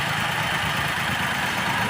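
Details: Maruti WagonR petrol/CNG on petrol at idle, test bulb fitted on injector circuit: rough, shaky idle with uneven lumpy beat and vibration; one cylinder dropping out from a broken injector control wire, confirmed by continuity and supply tests.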